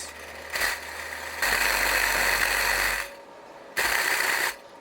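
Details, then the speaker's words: SDR 10 subwoofer with both voice coils wired, played on amp: bursts of harsh rattly buzz with almost no deep bass despite cone pushing fine and ohming fine; subwoofer distortion, blown. "just because you see a speaker it looks good it looks right that means absolutely nothing you should really honestly test the speaker at least free air it before you put your money whe"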